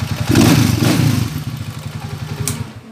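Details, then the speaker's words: Honda TMX125 motorcycle after overhaul fixing a noisy engine, valve clearance adjusted; single cylinder thumps evenly at idle then winds down at switch-off, steady beat, no knocking, smooth like new. "ito na yung andar niya ngayon napaka smooth na mga bro"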